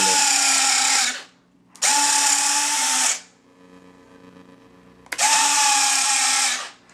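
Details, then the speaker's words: RC 747-8 model's retractable landing gear: three separate roughly one-second bursts of steady motor whirring that stop cleanly. The retracts cycle normally, though they are slow to get going and the rear gear doesn't retract fully because it isn't hinged. "And lastly, the retracts are obviously kind of fun. You can see that they took a lot of time to get going"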